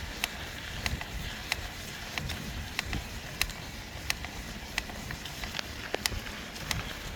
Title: Trek Fuel Ex-e cracking / creaking noise #1